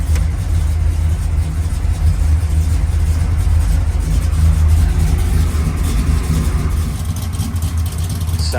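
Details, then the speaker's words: Freshly rebuilt Chevy Malibu engine, started cold: deep, steady low rumble with an even beat, no knocks or ticks; smooth, healthy cold idle. "Let me fire this thing up for you guys so you can hear [Music] it. And that's cold,"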